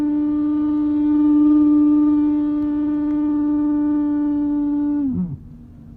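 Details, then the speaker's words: 2011 Mercedes-Benz E350, parked, heat at maximum: loud steady horn-like hum from the blower under the glove compartment, then slides down and stops; worse over bumps, airflow stops, resets when switched off and on. "when I'm driving I hit bumps the noise gets really loud I mean super loud and the air kind of stops blowing"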